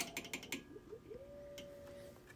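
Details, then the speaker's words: Hallicrafters HT-40 transmitter driven by a restored Hallicrafters HA-5 VFO in CW: a few clicks, then a ~600 Hz keyed tone that slides up in pitch before settling, a chirping pulled note that may hinder reverse beacon network reception. "Just pulls chirps a little bit. So that might make it difficult for the reverse beacon network to uh give us a response."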